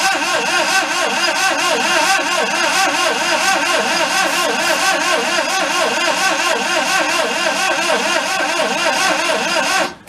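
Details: 1992 Daihatsu Hijet mini truck, bought thrashed: steady starter cranking at about one and a half beats a second for ten seconds while the gas pedal is worked, never catching. A plug is to be pulled, with plug wires found out of the loom; cause unconfirmed.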